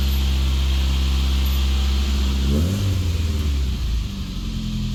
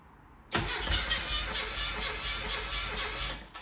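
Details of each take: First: Classic Mini after blown head gasket (engine never converted to unleaded) repaired with a second-hand head, all new gaskets and fresh oil: steady low idle and clean blips rising and falling smoothly, no knocks or misses; running normally. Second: Classic Mini with blown head gasket, engine never converted to unleaded, before repair: catches and runs rough and lumpy, misfiring because two cylinders have no compression; it also clunked in gear.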